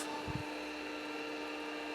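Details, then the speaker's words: Hard drive in a 40-year-old IBM 5161 expansion unit attached to an IBM PC 5150, powered on after reassembly: a thump, then a deafening steady high spindle whine as the motor turns. "well I did did stop there for a bit the noise from the hard drive was just deafening so uh I put the covers on both of the systems"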